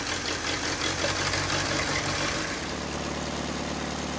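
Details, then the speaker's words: 1940s–1950s Willys Jeep (1946–1955 collection), fresh battery fitted, ignition grounding being sorted; steady starter churning with uneven beat, two or three a second, never catches; suspected no spark, thought it popped once; cranks but won't start. "I don't think we're getting spark. Oh. Thought it popped once though."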